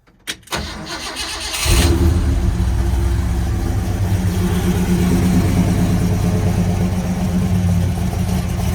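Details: 429 Ford big block V8 with Holley Sniper EFI, Hooker Super Competition headers, MSD parts; catches after a short crank and settles to a deep, slightly lumpy idle with very snappy, touchy throttle response; healthy.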